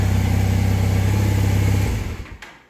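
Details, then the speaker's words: 1984 Honda CB450SC twin after carb cleaning, new parts and synchronization with a homemade gauge whose two readings stay together. It settles into an even, steady low idle with no hunting, then shuts off; normal idle. "so you can see they're staying together so that's exactly right so now they're synchronized"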